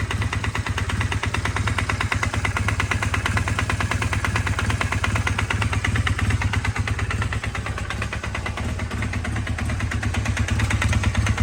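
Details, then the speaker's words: Honda Rebel 450 single-cylinder, valves already adjusted, still running with a loud, hard, rapid knock on every engine beat; source unknown, owner suspects bottom end or cylinder head. "So I got the valves in order. Now I still have this horrible knocking."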